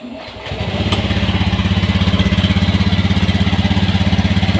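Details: Honda Beat FI scooter with idling stop, new battery, won't electric-start on key but kick-starts: short crank, fires and settles into an even, steady thumping idle about three beats a second; healthy start.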